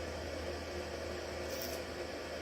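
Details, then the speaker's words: Two 600W power bricks charging a Pecron E2000LFP from wall outlets at about 1089 W, battery at 83%. Steady airy whir of the brick cooling fans with a faint hum underneath, even and unchanging; normal fan operation. "You can probably hear the fans. We're getting 1089 watts out of two bricks, which is pretty good."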